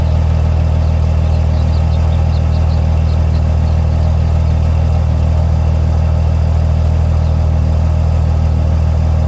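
Deep diesel idle with a lumpy pulse about three times a second instead of an even beat; rough running, cause still unknown.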